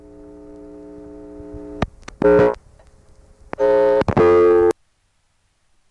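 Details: Morgantown, Pennsylvania ESC (Conestoga Telephone), August 1976, all 7 digits dialed to Tara Hill 445, recorded without attenuation: a steady line tone gives way to short, evenly spaced reorder bursts, marking a call that failed through the switch.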